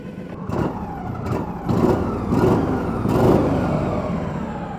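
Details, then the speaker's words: Kawasaki-engined UTV, idle spec about 1200-1300 rpm, possibly idling slightly low: engine blipped three times, each rev climbing cleanly and dropping back without hesitation or stumble; normal rev response. "and we're not getting a uh a massive stumble off of when we rev it up either so that's a good sign"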